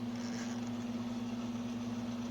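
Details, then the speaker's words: Sunbeam Carousel rotisserie after its burned-out motor was repaired, on a 20-minute timer test run. It gives an even, low electric hum as the basket turns smoothly, working normally. "We'll see if that heating element gets nice and red hot. The basket's turning very nicely."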